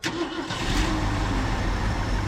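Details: 1990 Ford F600 box truck just after carburetor refit with homemade gasket and adapter plate: engine catches with one sharp pop, then settles into a rough low idle; a single backfire on start.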